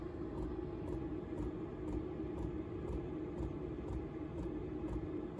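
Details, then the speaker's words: Chinese diesel parking heater installed in a box in a camper: faint crisp ticks about twice a second over a low rumble, the dosing pump pulsing normally, quieter with the door shut. "you can hear that ticking tried everything I can to isolate it but when the door is shut I think it is even better I mean it's pretty quiet when the door is shut it's very quiet"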